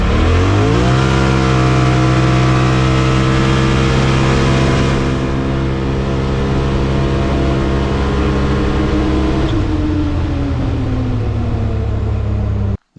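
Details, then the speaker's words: 2021 Polaris RZR Pro XP Premium, 32" System 3 XTR 370 tires, first run after Aftermarket Assassins S3 clutch kit with high-load helix: flat steady drone at full throttle peaking around 8050–8150 rpm, down on power. CVT clutch mis-tuned, rpm too low. "you can actually hear it um seems like it's not shifting right uh rpms you know the engine doesn't seem like it's uh it's making the power that it should"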